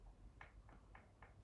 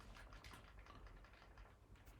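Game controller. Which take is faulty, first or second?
first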